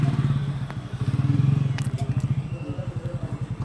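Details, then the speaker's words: LG front-load washing machine (LE error) whose drum turns one way but jerks and stops the other way: low rhythmic thumping pulses, about five a second, as the drum stutters; hall sensor fault causing LE motor lock error. "अब आप देख सकते हैं कि drum एक तरफ घूम रहा है। और दूसरी तरफ, यह झटका खाकर रुक जाती है। देखो, यह केवल एक ही दिशा में घूम रहा है।"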